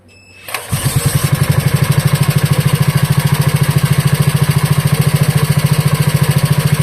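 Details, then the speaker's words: Wisconsin Model AB engine after carburetor clean, rebuild and reinstall: catches after a brief crank and settles into an even, steady low thump with no misses or knocks; normal idle. "yeah, it seems to run perfectly. Uh I was able to rev it up and it didn't cough and sputter. It ran nice at an idle."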